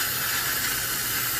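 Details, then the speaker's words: Nitro cold brew kegerator tap: steady sharp nitrogen hiss with no pour, maybe a little residual water from the lines, meaning the 5-gallon cold brew keg is empty and should be changed. "just basically nitrogen hissing so we know we're out of cold brew in the 5 gallon keg if you're trying to serve it and all you hear is nitrogen gas coming out of it"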